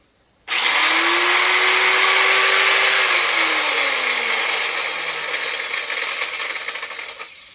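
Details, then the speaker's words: Elu Swiss-made 600 W router, 24,000 rpm: screams up to speed with a rough, gritty rasp then whines down coasting; worn bottom motor bearing, replaced with a 6003 NTN bearing. "The bearing in the bottom is knackered, but it's actually pretty easy to change."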